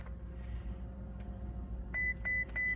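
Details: Ferrari California T with an immobilizer no-start issue after rewiring: over a low cabin hum, three short even high-pitched beeps about a third of a second apart as the start fails; warning chime, cause unconfirmed.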